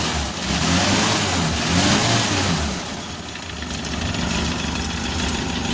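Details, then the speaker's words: Suzuki Carry 1.0 petrol engine at idle after teardown and timing cover bearing repair: now smooth, even low hum with no knocking, unlike the rough diesel-like clatter before repair. "Sudah halus, Lur, mesinnya sudah halus. Tidak seperti sebelumnya dibongkar sebelum dibongkar ya, Lur."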